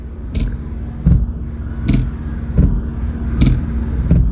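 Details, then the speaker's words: Car windshield wipers after a deformed part was adjusted with a screwdriver and the wiper blades reinstalled: soft, even sweeps over a low engine hum, no judder or chatter; the earlier harsh noise is gone. "Look, the strange noise disappeared. The problem is completely solved."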